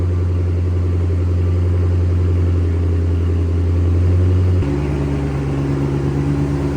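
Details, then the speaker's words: Flood-damaged Chrysler SRT8 just after its first successful start, following cleaned terminals and a new part. It runs smooth and even, then settles to a lower steady idle with no misses or knocks; it sounds good. "Dang it, I'm so bummed we didn't get that on camera. Engine sounds good."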